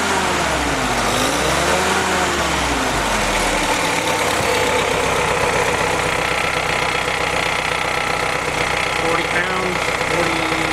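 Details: Willys M38 L134 flathead engine on a test stand, running on its original carburetor after it was rebuilt from a badly assembled state: fairly even idle, steady low exhaust beat, no miss or knock; engine sounds healthy, normal idle.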